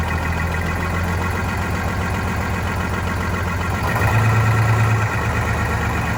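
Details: Vintage diesel bus in very cold weather, after fuel hose/line replacement and injector cleaner added: uneven, surging clatter about three beats a second, rough running; air suspected entering the fuel system from a line upstream of the new hoses.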